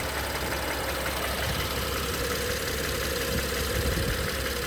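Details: 2016 BMW X3 engine with 21 engine fault codes active, idling steadily with a rough, uneven knocking and clatter underneath, clearly not a clean idle; abnormal engine noise, cause not pinned down.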